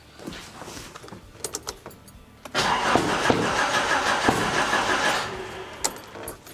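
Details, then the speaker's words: Engine with new crank angle sensor, run briefly without coolant: slow cranking, then ragged half-catching chuffing with loud pops; misfiring badly because plug/coil leads are in the wrong firing order. "All right, we have spark, we have fuel, but the firing order is not right."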